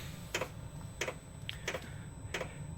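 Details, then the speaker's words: Vevor 12 V diesel heater starting in a cold garage: after the glow plug warms, the fuel pump comes on with crisp ticks about 1.5 per second over a low hum, and the burner ignites normally. "I think that symbol right there, the fuel pump just came on. This is computer controlled, folks. It's like the Apollo space mission. And I pointed the outlet. This is clean air. I hear it. It lit."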